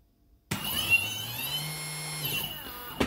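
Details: Skywalker 80A v2 ESC with reverse, four-cell battery, after throttle range calibration: smooth clean electric motor whine climbs in pitch, holds steady, then winds down; normal motor run.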